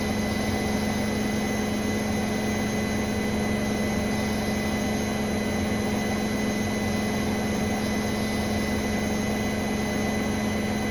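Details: Brand-new Bosch Serie 4 WAN28281GB washing machine, balanced final spin, seal clear of drum: thin steady squeal over even drum hum at constant speed; owner wonders about bearings or EcoSilence drive belt, earlier suspected suspension, source unknown.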